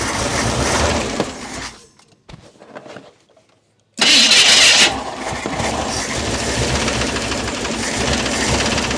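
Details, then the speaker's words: Old Mercury with Ford 260 V8, new lifters, distributor retimed after being a tooth off, leaking accelerator pump: cranks, catches with a loud burst, settles to a lumpy uneven idle; running rough, distributor likely still a tooth off. "I need to move it a tooth."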